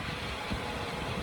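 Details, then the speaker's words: Warrantied replacement engine in a Jeep, hot at idle with 45–50 psi oil pressure: a steady, even, smooth hum with no knock, tick or smoke; the engine runs normally after the crank sensor was replaced. "now it's running just the way it's supposed to it doesn't smoke doesn't KN it's about 45 to 50 lbs of oil pressure hot at idle"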